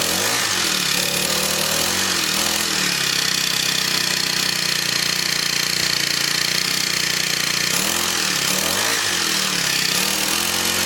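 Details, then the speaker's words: Scrapped Craftsman four-stroke weed eater runs at a steady fast buzz with slight swells, no misses or knocks, spark plug still to be tightened; normal running. "good one it runs so this one runs and blower don't"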